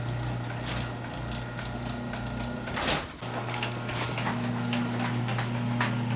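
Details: Garage door two years after fitting green spring-loaded hinges, with nylon rollers: a steady low motor hum carries the door along its travel with only light, occasional taps and no rattling, so it runs quietly and healthily.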